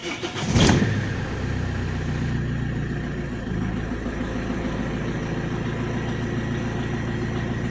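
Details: Alfa Romeo 156 1.9 JTD 8V 110hp after fixing crank no start caused by lost rpm signal (crankshaft sensor): cranks briefly, catches cleanly and settles into a steady, even diesel idle with no stumble or hunting; healthy start.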